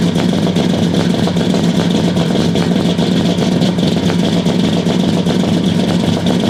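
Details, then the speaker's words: 1969 Buick Special Deluxe, 430 big-block V8 with big cam, first start after sitting over a year; loud lumpy idle chuffing unevenly two or three times a second, never settling, very rich because the choke was left mechanically closed all the way. "well it started sounds kind of rough it's running super rich maybe I don't know have to check that out for sure"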